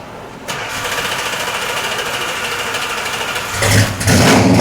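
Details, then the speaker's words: 1969 Plymouth Roadrunner, bought turn-key: catches almost instantly, idles evenly with a throaty Mopar rumble, then two clean throttle blips with no misfire or knock; it doesn't smell good but it sounds good. Normal start and revving. "That is so cool. Yeah, it's got a nice Mopar sound. Yeah. That is cool. Nice throaty sound. Doesn't smell too good, but it sounds good."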